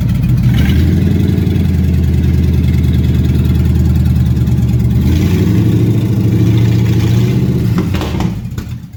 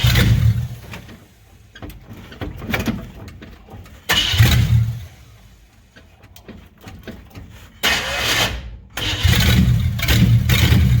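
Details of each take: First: 1957 Chevy hardtop (LT1 Roadmaster conversion project) after advancing ignition timing, warming up; strong, even low rumble with a brief rev and clean drop back, no misfire or stumble — normal running. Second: 1957 Chevy hardtop (LT1 Roadmaster conversion project); repeated cranking bursts catch and stumble, never settling into an even idle — rough running, possibly late timing.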